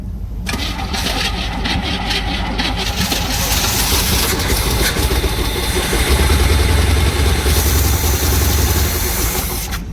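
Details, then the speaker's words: 1970 Chevrolet C20 truck, 350 V8, first start in 20 years after freeing a seized engine: catches and runs loud, lumpy and hunting; rough idle, fuel looked horrible, owner suspects a massive vacuum leak, needs adjustment. "oh she is rough all right we're gonna have to adjust that kill it oh that fuel looked horrible"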